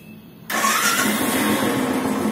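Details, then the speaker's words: Motorcycle, first electric start after installing the self-start sprag clutch bearing: engine fires straight away and settles into a steady, even run with no starter clatter or grinding. "Start फ self start smoothly start comply"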